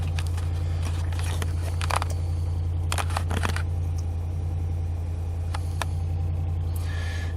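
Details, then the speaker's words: 2017 Ram Rebel 5.7 Hemi at 25,542 miles on Rotella T6 oil, started after sitting about six hours: steady, deep, even idle with no lifter tick from the top end, just a smooth low rumble. The engine sounds healthy. "so we're gonna start this up and hopefully you could hear that dead quiet sounds like a normal engine"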